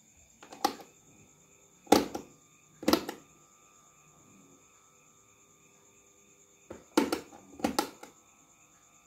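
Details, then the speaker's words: Miyako electric fan that won't spin: steady electrical hum with no rotation, windings still connected and slight movement on speed 3; shaft seized and dry. "hanya mendengung tidak mau berputar ya oke teman-teman kita cek dulu mana yang bermasalah"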